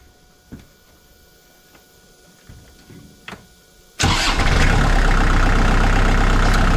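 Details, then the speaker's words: 2002 Kubota MX5000 DT tractor with front-end loader, all-hydraulic steering, PTO and implements. Engine fires into a loud rough roar with a harsh hydraulic pump whine; no pressure, so no steering. Cause was a clogged hydraulic filter, not the pump. "So when the pump starts to make that noise, it's not circulating hydraulic fluid. It's not pumping up pressure."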